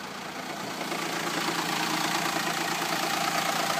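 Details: Renault Espace 4 2.2 dCi diesel at idle: regular light tapping about three a second over the engine note; ticking noise at idle, source unclear.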